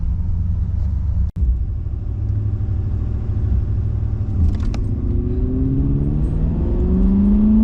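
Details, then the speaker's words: Olds 350 V8 in a big Cadillac after an Edelbrock 2711 no-EGR intake swap, on a test run. A deep, steady rumble rises smoothly as the car pulls away, with no misses or knocks. A second was dropped off the 1/8-mile ET, temperature is now about 185 instead of 210, and it runs great. "It's still pretty slow, but it's still a pretty big car. But everything else seems to be running great."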